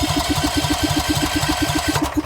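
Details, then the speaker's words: Briggs and Stratton 12,500 Elite series generator, 10W30 oil, choke out, about 85°F ambient: even rapid starter chugging around seven beats a second with no catch or firing; cranks but won't start, choke pushed back in to retry. "so it doesn't want to start, so we're going to push choke back in. Try it again."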